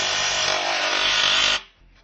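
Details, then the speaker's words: HP LaserJet P1102/P1006/P1020 laser printer making a harsh, steady drill-like grinding from its drive because a foreign object is stuck in the gear train; cleaning it out fixes the noise. "The reason for this sound is that any kind of object is stuck here. Cleaning it will fix it 100%."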